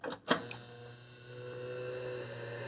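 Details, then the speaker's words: Early-2000s eMachines T2240 PC at power-on: the graphics card's old cooling fan gives a steady, high-pitched whir with a rough, buzzy edge. The fan works but its bearing is worn. "oh that fan sounds nasty but it is working that one's a little better but it's still really buzzy"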